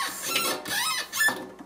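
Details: Kitchen faucet knob before repair: shrill warbling squeaks as it turns from a dry valve stem; fixed by disassembly and applying plumber's grease.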